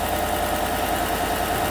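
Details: 2016 Chevrolet Silverado Z71 4x4 5.3 V8, about 135,000 km, first start after replacing all right-bank lifters for a collapsed #6 exhaust lifter that caused a tick and #6 misfire; steady, even idle with no tick or stumble; runs normally.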